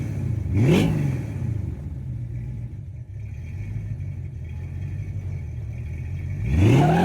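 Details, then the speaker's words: 1977 Ford F250 4x4 with an Edelbrock carburetor due for a rebuild and debris found in the fuel filter: engine blips twice from a lumpy, uneven idle and sounds rough and unsteady between revs; rough running, cause not confirmed. "All right, you guys know the story. Just running kind of like shit."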